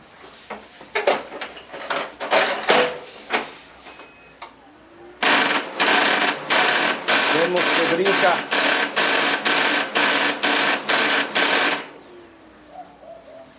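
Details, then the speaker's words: HP LaserJet 4015n laser printer: loud, rapid clatter about two bursts a second as the fuser gears skip teeth; gears and fuser are not worn, but the fuser has play in its mounting latches and cannot stay fixed. "se podrán dar cuenta que entran los engranes brinca mucho el to shore"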